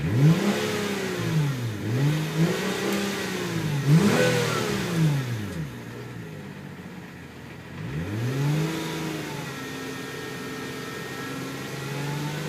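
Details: Hyundai Tiburon revved up and down repeatedly: a whine rising and falling with engine speed over the exhaust note. Cause unknown.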